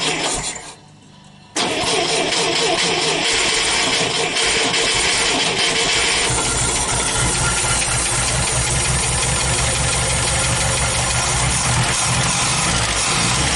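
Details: Scout 80 with rebuilt original fuel pump, flooding issue, carburetor fuel line spraying, pump suspected over-pressurized, throttle not hooked up, sometimes wants choke: catches after short crank, runs loud and uneven, lumpy beat about three per second; rough running, cause unconfirmed.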